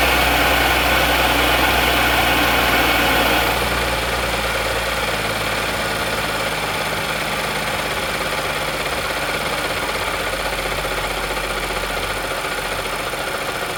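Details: 2014 Audi S4 3.0T, 106k miles, tuned with pulley and DSG mods, engine failed suddenly while driving; idle shows a steady, regular knock about four beats per second, suspected rod knock, not confirmed.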